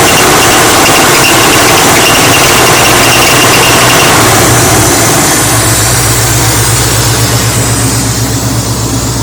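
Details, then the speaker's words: 1983 Chevy C10 idling with a sharp steady high squeal from the power steering pulley; the pulley is being replaced. "now squeaking rat out that I'm kid so a squeaking noise dinner that's what I found"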